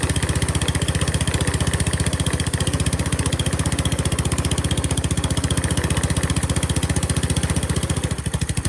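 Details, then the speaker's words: Qualcast Classic Petrol 35S cylinder mower fitted with a cheap replacement Chinese carburettor, jets adjusted: single-cylinder chugging about three beats a second, slightly uneven firings; runs a bit rough, blamed on the cheap carburettor. "It's all right. It's a bit rough, but cheap Chinese carburetor. What do you expect?"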